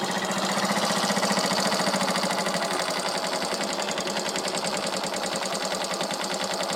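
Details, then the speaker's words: Suzuki Shogun 125 smoking oil with weak compression: harsh, rattly knock from the engine each firing stroke near three per second; piston slap from worn piston. "Bisa didengar ya, kasar tuh. Ada bunyi kretek dari sebelah sini, dari mesin. Tuh ya, bunyinya seperti itu."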